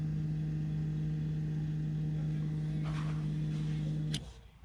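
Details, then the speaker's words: BMW F15 X5 35d diesel after fuel filter replacement, fuel system primed without scan tool: steady even low hum, no air noise until it switches off; system primed. "so as you guys can tell everything seems to be running smoothly you don't really hear any uh of the air being pushed through"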